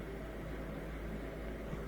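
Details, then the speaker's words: Miele dishwasher with F08 error, after repair: steady low hum and even rushing spray as it fills, circulation continuous instead of cutting out every 10 seconds as before; normal circulation. "but i think it's continually circulating now as it fills up more water we should hear it shooting around even more and more there we go"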